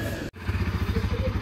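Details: Bajaj Pulsar NS200 BS6 motorcycle, most of its petrol drained after an earlier engine breakdown, about to be taken to a service centre for a warranty claim. Quick, even thumping pulses at a steady idle with no ticking or rattle.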